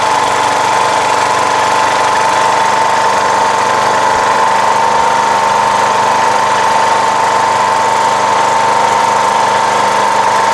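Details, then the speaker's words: Rebuilt 17.5 HP Briggs OHV single repowering a Craftsman LTS1500 lawn tractor, after a test drive. It holds a high, steady pitch and never drops because it is idling too fast; the throttle is sticky and needs adjustment. "let's do an adjustment it's idling very high"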